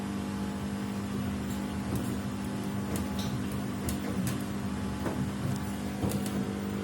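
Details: Samsung WW75TA046TE/SP replacement washer, sixth day of use, noise worsening each wash: steady drum hum with irregular sharp clicks and knocks about every second; abnormal wash noise, cause unclear.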